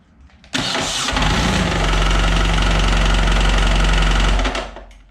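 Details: BMW HP2 Enduro race bike boxer twin, noise began accelerating at 120–140 km/h: fires and idles with heavy knock about four times a second; loose clutch assembly bolts knocking.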